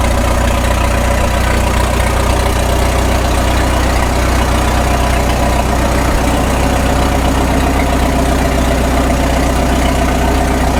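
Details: 1936 Caterpillar Twenty-Two tractor on gasoline, stationary because the clutch grinds and will not release, after sitting for years: a deep, steady chuffing idle of about four pulses a second with no misses, and the carburetor is judged fine. Normal idle.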